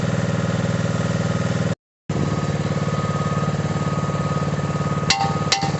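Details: Mini digger diesel, previously not starting (lazy starter motor suspected), gives a steady clatter at a fixed idle with an even beat and no missing or knocking; normal idle.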